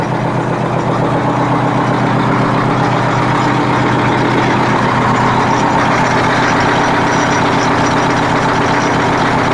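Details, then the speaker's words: Freightliner cabover Detroit diesel at idle with decent oil pressure: faint, fairly regular knock about four a second; suspected rod or main bearing, injector or air compressor, not heard in later starts; engine knock. "Definitely knocking. I don't know if it was an injector knock or what."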